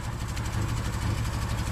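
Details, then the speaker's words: Subaru Outback with a failing fuel pump, after banging on the gas tank with a tire iron: low, uneven idle that surges and sags near stalling, no gas pedal response, foul exhaust; fuel starvation persists. "Still not running really smooth. Man, that exhaust smells terrible."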